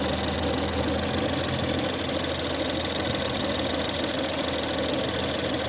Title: 1.6 Ecoboost Howling/Whining noise cold idle start